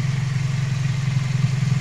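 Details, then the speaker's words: Toyota Vios G type after replacing the worn AC compressor pulley bearing together with its plate and pulley as a set: steady, even low idle, listened to from underneath, with the earlier rough noise gone. "Nah jadi sudah hilang ya suaranya teman-teman harus tidak seperti [Musik] kemarin"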